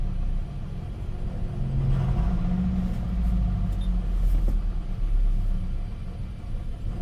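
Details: Gen 7 Toyota Celica after replacing the fuel pump, filter, pressure regulator and sock: low rumble builds and swells as it catches and runs steady once fuel pressure comes up; normal start.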